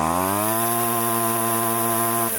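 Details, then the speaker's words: Husqvarna 128CD curb-find two-stroke powerhead after carb cleaning, at full throttle: steady high buzz with a ragged edge, not crisp, down on power; weak spark noted, compression only 125, owner suspects low compression or blown head gasket, unconfirmed. "That doesn't sound like a healthy engine. But it may be compression. It may not have been making all of the compression."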